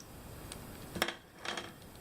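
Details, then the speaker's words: 3D printer printing a PETG bird-feeder holder part in a quiet room: sharp isolated pops and crackles about every half second; suspected moisture absorbed by the PETG filament, not confirmed. "Hear that popping? I think that's just moisture in the air getting into the, because PETG is fairly absorbable, likes to absorb water."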